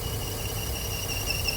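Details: 2007 Audi TT six-cylinder, after front-end panel repair: at idle a steady high-pitched squeal over a quiet engine, present only under idle vacuum; a failed diaphragm in the PCV valve inside the rocker cover.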